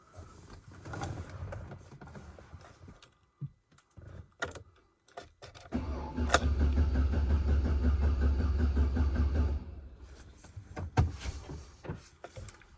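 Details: Chevrolet Silverado with a nearly dead battery: sluggish, dragging crank about three turns a second for several seconds, then it dies off; slow cranking from the weak battery; very rough idle noted.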